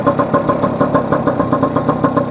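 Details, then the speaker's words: Vespa 150 on road test after repair of a broken elastic (cush drive) gear that caused loud engine noise: even, quick popping exhaust beat, smooth gear changes, no clatter or misses; running cleanly. "Va de dulce, va perfecta, perfecta. Los cambios muy suaves, anda bastante."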